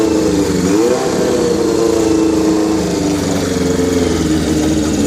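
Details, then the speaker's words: 1981 Kawasaki GPz550 four-cylinder, first start after frame-off restoration and engine teardown, not run since 1994: brief blip then even, smooth idle with steady hum, no crank noise, knocking or valve ticking; healthy, owner thinks carbs may need syncing. "thankfully this time no weird noises from the crank nothing weird happened as far as valve Bart slugs or anything else"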